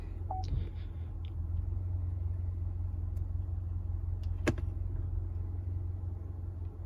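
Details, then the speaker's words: 2018 Cadillac ATS 2.0 turbo (LTG), 8-speed automatic, after a fluid and filter change for a shudder. Car on a lift at 131°F fluid temperature, cycling gears. Low steady rumble, no knocks or whine; shifting felt good, normal. "Transmission feels good right now. You can feel that it's actually shifting."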